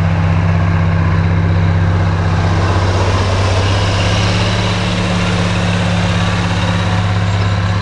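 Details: Oliver 1550 diesel tractor pulling a JD BW disk about 6–8 inches deep, running well once whatever was in the fuel system cleared: strong, even low drone holding steady under pull, no stumbles or knocks.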